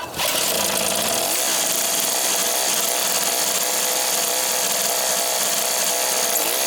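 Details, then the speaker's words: Craftsman 3hp 21-inch snowblower, Tecumseh two-stroke, after carb rebuild and service, restarted after cooling: high buzzy note steady at constant speed without sputtering or surging; normal running. "pull yeah she running real good Fellas let's bring it in and finish it"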